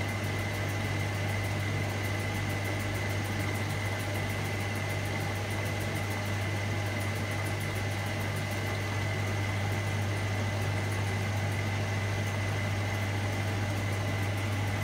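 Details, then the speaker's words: Hotpoint Supermatic De Luxe 9414 twin tub, new belts fitted, spinning with rinse water: smooth, constant hum with no rumble or scraping; the spin is much quieter than before and runs healthy. "the spin is so quiet at the morning Lord before the new Falcon river gate everything is so much quieter"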